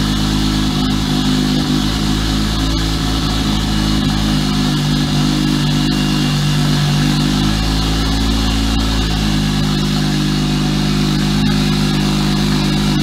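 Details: Single-turbo BMW 335i idling after first start in three months stored in Canadian winter: steady, even note holding pitch, no knocks or stumbles; normal idle after brief initial roughness.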